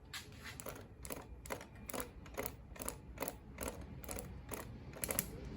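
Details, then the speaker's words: Mallory dual-point distributor for a rebuilt MGB four-cylinder engine on a test stand, spun with spark plugs wired to ground. Crisp, even snapping about two per second, quickening with speed, and blue sparks at the plugs: the earlier no-spark fault is solved. "you can definitely hear the sparks."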